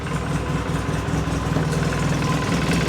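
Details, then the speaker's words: 2006 Polaris Sportsman 800 EFI twin ATV (485 hours, 2,700 miles) in neutral after cleaning the throttle body, new plugs and a filter service: an even, low putter at a steady 1100–1150 rpm idle with no misses, knocks or hunting. Normal idle. "Right up, 1100, 1150 right there."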